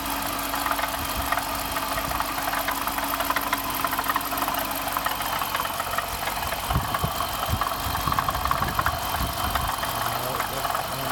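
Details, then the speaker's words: 2015 Dodge Durango R/T petrol engine at idle with a busy, fast, steady metallic rattle under the hood, which suddenly got very loud the day before; cause unknown. "I'm having this rattling weird noise under my hood and yesterday it got very loud so if anybody can help that will be great"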